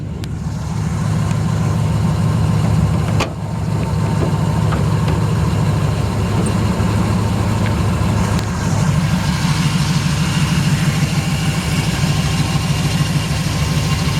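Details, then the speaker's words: 1973 Chevrolet Camaro V8 with long-tube headers and a mild cam: a deep, steady idle with a slight lope and no tapping or knocking; the engine runs great. "It's got a nice looking engine detail. You can just hear the engine runs great. Sounds like it's got a mild cam in it."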